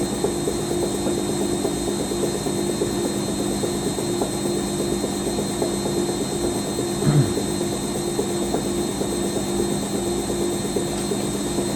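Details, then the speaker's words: Rescued Siemens WH54080/07 Extraklasse XL 1000 washer, Cottons 90°C first load, spin stepping from 250 toward 600 rpm: steady hum with uneven light knocks about one a second; owner wonders if shock absorbers, says not spider failure; cause uninvestigated. "should go to 600 now is that the shock of all is doing that"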